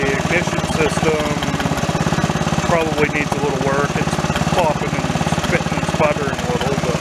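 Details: Mid-1980s Snapper commercial rear-engine rider with an 11 hp industrial Briggs & Stratton L-head engine, revived after sitting about four years: small engine chugs unevenly with occasional pops and spits between beats, misfiring; cause unconfirmed.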